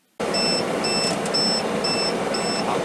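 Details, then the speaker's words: Tire pressure monitor on an RV towed by a heavy-duty truck: shrill electronic beeps about twice a second over road noise as the right rear RV tire loses air while driving. "Dave noticed the air pressure on the right rear tire on the RV getting low and then shortly after that the monitor started beeping at us"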